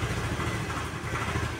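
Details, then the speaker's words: Honda Vario 110 scooter carburetor, warmed up, at idle: uneven, stumbling, wavering low thump, nearly stalling; idle rises and falls, engine hard to pull, dies or revs up on its own after throttle release. "Ya, seperti pincang ya, Teman-teman. Coba perhatikan suaranya. Nah, itu hampir mati."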